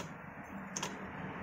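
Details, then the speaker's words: Motorcycle disc brake with new generic-brand pads, wheel spun: sharp metallic tick over a low hum. The pad is loose between its upper and lower seats and knocks against the caliper bracket as the disc turns. Fix: pack the pad seat with tape or thin hose. "jadi ini saat ee piringan berputar ee Ini bergerak ke atas turun atas turun seperti itu ini bunyinya karena benturan dengan dudukan sini tek tek tek tek tek tek seperti ini"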